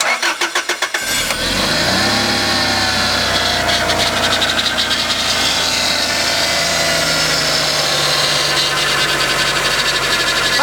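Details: Toyota Altezza power steering vane pump, after fluid blew out during hard circuit steering, then refilled and air-bled: engine starts, then a strained whine wavers over the idle as the wheel turns and steering stays heavy; internal vane pump damage judged.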